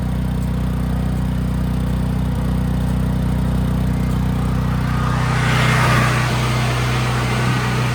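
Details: Nearly new Briggs & Stratton generator, 3.9 hours, that surged badly (carburetor was not dirty; fuel cutoff solenoid involved), after repair and restart: steady, even drone with no hunting or surging; governor settled, runs smoothly.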